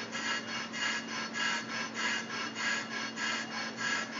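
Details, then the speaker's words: Brake rotor being turned on a brake lathe, slow finishing cut, no noise suppression fitted: even, flat cutting hiss with steady hum and soft swish each turn, no chatter or squeal; normal smooth cut. "this rotor that was not going to have any issues with with with how it sounds as long as that that flat cutting sound I'm not so I'm not sweating it at all"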